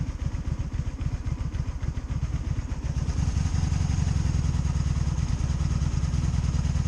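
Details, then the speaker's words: 2002 Honda Magna VF750C during a rebuild, cold start with choke out and held open because it springs back closed; cranks with uneven chugs, then catches and settles into a steady low thrum. A normal cold start. "Alright. Time for a cold start. Alright, so that's good. That's on. Choke out and start."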